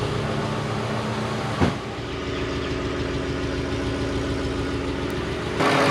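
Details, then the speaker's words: 2022 Ford F-150 5.0L V8, freshly replaced engine with long tube headers and stock cat-back exhaust: smooth, even idle with steady low burble, no knocks or misses; runs and drives well, no codes. "well she runs and drives good no codes"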